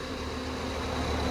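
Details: Maruti Vitara Brezza DDiS diesel, about 1.5 lakh km, clutch replaced: steady even low diesel hum at idle with no knocks, rattles or misses; healthy engine.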